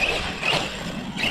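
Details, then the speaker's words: ARRMA Kraton 6S RC truck after a hard bash session, with power not reaching the wheels properly: surging motor whine over a rough crunchy grinding that swells with throttle, from a damaged, binding differential (rear diff to be checked first). "Something sounds a little off. Sounding a little crunchy. I don't know. Sounds like a dip. Mine's jacked."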